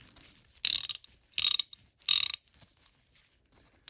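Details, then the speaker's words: Vintage Dayton (Thorsen) 4X356 3/8" drive ratchet, mechanism tested after teardown and reassembly: three short bursts of crisp, fine clicking as the handle swings, each pawl catch clean and even; the ratchet works properly. "It's ratcheting. Good."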